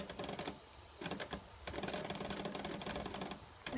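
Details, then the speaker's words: PS3 disc drive makes rapid uneven bursts of dry clicking over a low buzz, only while continuing The Last of Us (about 30% in), then the screen goes black; other games work fine; unit must be unplugged. "a buzzing sound and the screen looks like this and then it turns black sea and buzzing goes"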